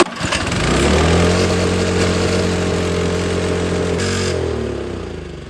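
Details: Snow blower small single that sat all spring and summer on ethanol gas and wouldn't start; gas changed, carburetor cleaned. Pulls up smoothly and settles into a steady, even run with no misses or surging; normal running after carb cleaning.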